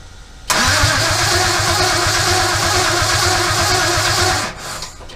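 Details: 1965 Chevy C10 with an LS1 swap, first start attempt on a newly flashed computer that may be the wrong one. About four seconds of steady cranking that never catches; cranks but won't fire. Wrong ECU flash suspected, not confirmed.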